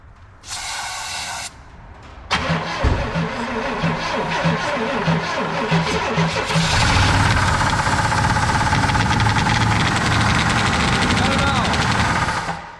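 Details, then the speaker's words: 1966 Pontiac Catalina parked 20 years, first start on fresh oil without a filter: runs rough with a heavy, regular knock around four per second. Suspected low oil pressure or a major rod knock. "that sounds terrible it either doesn't have old pressure gather it's got a major rod knock and that's why it was parked"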